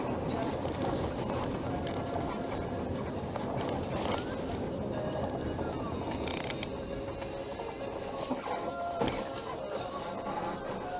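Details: Hyundai Sonata EF: faint, high, irregular chirping squeaks as the suspension works, from the rear upper control arm bushings on the body side.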